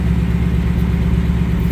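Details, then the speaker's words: 2018-2019 Mustang at idle, checked for returning tick three months after 5W30 full synthetic oil plus additive; smooth even idle, no ticking or tapping, engine sounds healthy. "let's listen to the car okay let's listen no tick let's check out the driver side"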